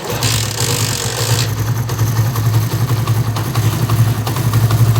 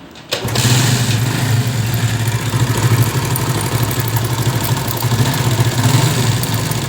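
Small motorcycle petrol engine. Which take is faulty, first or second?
second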